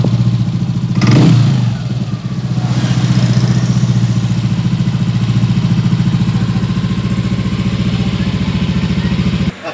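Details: Yamaha Aerox 155 scooter, after replacing the worn, 3-year-old stock spark plug to cure backfiring (no error code shown): steady even putter about three and a half beats a second after a brief blip, no pops or backfires; runs clean.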